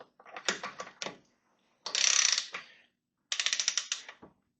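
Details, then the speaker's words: Kawasaki Ninja H2 cylinder head being reinstalled after a broken-valve repair: an electronic torque wrench clicks, then buzzes steadily for about a second when the target torque is reached. "I don't know if you can hear it, but it buzzes."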